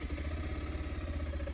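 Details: Bajaj Pulsar 220F BS6 single at idle after TPS sensor replacement and key on-off reset: steady even low putter, no misses or stumbles; check engine light now off, problem fixed, running healthy.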